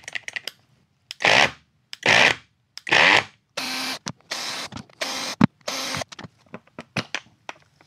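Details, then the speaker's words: Peugeot Energyhub 18VBL cordless grinder, bare brushless motor held and run: short whirring bursts with an odd rough buzz; the motor itself makes the noise. "Donc là, je vais dédouaner cette partie-là. C'est lui qui fait ce bruit. C'est vraiment particulier."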